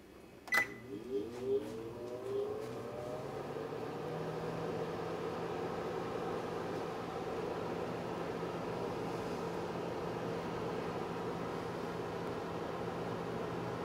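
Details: GE over-the-range microwave JVM617SDK1WW, newly installed: a few keypad beeps then steady even fan-and-magnetron hum with no rattle or buzz; running normally.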